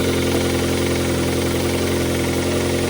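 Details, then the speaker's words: Kia Carens 3 (UN), 2.0 CVVT G4KA petrol engine, warm idle after removing, cleaning and refitting the fuel injectors: steady, even hum with only a faint irregular patter, now running smoother than before. "The engine started working, in my opinion, again, after this work it's somehow smoother."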